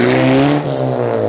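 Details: Exhaust before adding the resonator pipe: loud, raspy tone dropping in pitch as revs fall, leaving a buzzy drone – exhaust rasp and drone without resonator.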